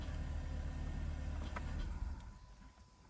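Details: 2022 Chevy Malibu 1.5T, about 65,000 miles, after the no-start repair and with the engine code being reset. Low, quiet, even hum for about two seconds, then the engine shuts off; smooth idle with no misfire or roughness. Normal idle.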